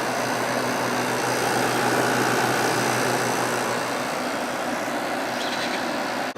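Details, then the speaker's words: Vintage 5,000 BTU Kenmore (Whirlpool) window air conditioner, Matsushita rotary compressor, running on low outdoors in warm weather, already blowing cold after a short run; low even hum and steady fan rush, very quiet, no knocks or rattles: normal running. "This thing has not been running that long and it's already cold, so that's pretty impressive. It's pretty warm out here right now. It's very quiet."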